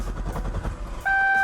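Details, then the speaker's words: 2009 C6 Corvette after oil change, lube mode cranking without starting to build oil pressure: about a second of steady rhythmic cranking then a steady warning chime, no firing; normal. "All right guys, and again, I'm gonna activate lube mode so the car just turns over but does not actually start up."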